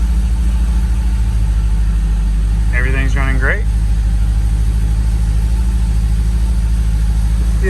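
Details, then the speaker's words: 2009 Cadillac CTS-V with the Airaid cold air intake reinstalled and its green filter cleaned, hood open: a deep, even burble holding a steady rhythm with no misses, knocks or hunting; a smooth, healthy idle. "so i'm now going to start this thing up and see what it sounds like see if it's running good so let's see here that open a little bit and see how it sounds so far so good"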